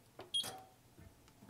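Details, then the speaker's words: Bosch Touch & Turn range HDS-255/HDS-25 with no heat: a few crisp, separate clicks as three relays close and open on pressing start, showing the control board switches them normally, yet the oven stays cold. "can you hear this when I press start click click click three relays are closing"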